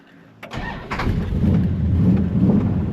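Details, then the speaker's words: Car's V8 on its fifth engine install, running through old Porter mufflers, transmission jerky: catches and settles into a deep, lumpy low rumble; a healthy old-school exhaust note. "Like, this car sounds the best with those old Porter mufflers. It sounds like old school."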